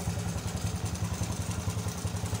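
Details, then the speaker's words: Small Indonesian underbone motorcycle running again after an oil-starvation seizure, freed by oiling through the spark plug hole. Even thumping idle with some clatter and a smoking exhaust; the piston is suspected worn or loose and needing replacement. "Bagus teman-teman Motor ini kembali hidup bisa hidup knalpot ngebul karena tadi kita udah ngasih pelumas pada ruang bakar"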